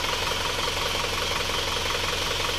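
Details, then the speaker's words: Isuzu Panther diesel after repair of a severely sunken (top-only) cylinder 4 liner, which was reversed, plus new piston rings: steady, even, soft idle clatter with no misses or knocking; temperature 71°; normal idle. "Suaranya sangat istimewa empuk karena ini segernya baru sayanya baru resecker baru hanya aliran saja yang dibalik"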